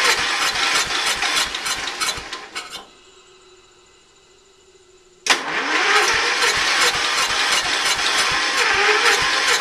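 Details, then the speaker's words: Early-1980s Ford LGT120 tractor, Kohler K301 12 hp single, rebuilt with new piston, weak battery; long steady starter cranking, pause, more cranking, never catches; hard start, owner suspects valves, jump pack to be added for faster cranking. "I'm gonna give the starter a break and find my jump pack to throw in there so it uh turns a little quicker"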